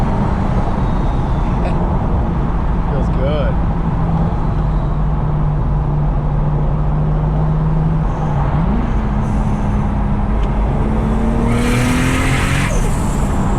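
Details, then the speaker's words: Turbo Lexus IS300 on test drive after battery and ABS module relocation, temps good: smooth engine drone climbing through the gears with a brief dip at the shift, turbo spooling, no knock or whine; normal acceleration. "yeah and that gets your blood rushing temps are looking good everything sounds good feels good hope I'm not jinxing it"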